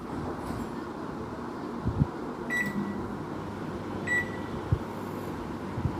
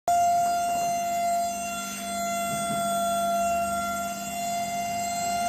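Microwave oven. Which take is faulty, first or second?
second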